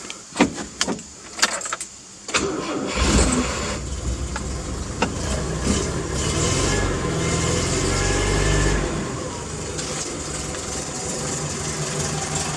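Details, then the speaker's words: 1983 Toyota Hilux 18R engine a year after timing chain replacement, cold start: brief crank, then slightly rough cold idle, quiet with no chain slap or rattle; engine healthy, burns a little oil. "little bit of a rough Auto cuz it's cold but it is quiet like proper quiet so I'm satisfied with that"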